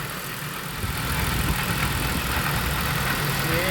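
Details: Pontiac Bonneville SSEI after transmission swap, engine hot, coolant bled and topped off, transmission fluid topped to full; steady warm idle with an even low hum, no knocks or slipping: normal idle.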